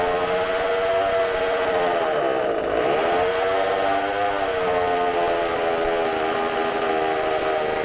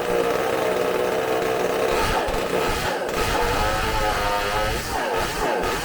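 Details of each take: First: McCulloch supercharged chainsaw, bench test on tank fuel: a high, screaming whine held near full throttle, briefly dipping and recovering, with supercharger sounds. It runs strong and clean and burns fuel very quickly with no fuel blowing out. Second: McCulloch supercharged chainsaw bench-run on tank fuel: a high two-stroke scream that wavers and sags, sounding a little lean while climbing, then clears and holds once the high jet opens at top revs.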